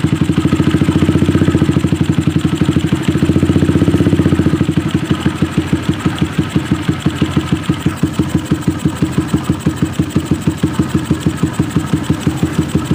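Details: Suzuki Satria FU single-cylinder that was hard to start when cold and then fully dead, restarted after spark plug and compression checks and plug refit: steady, even idle at about three beats a second, no misfire gaps; oil then spurts out.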